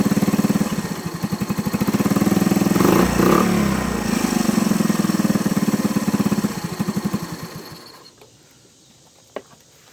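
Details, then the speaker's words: Honda ATC 110 idling after the carburetor float and jet were fixed for fuel overflow, now with no leaks. Single-cylinder idle with uneven beats and occasional dropped or weak pulses before it dies away, a misfire the owner attributes to timing. "Okay, so it's a little bit of misfiring, but that's a timing issue."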